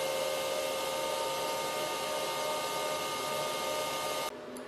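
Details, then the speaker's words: Antminer L3+ Scrypt (LTC) ASIC miner at startup after swapping the high-speed factory fans for quieter ones, stock software settings, front and rear fans running: steady even fan whir, no rattle or grind, far quieter than the original fans. "but right now even at the start up we can we can notice that the noise is way lower than before both fans are running from the front of the rear"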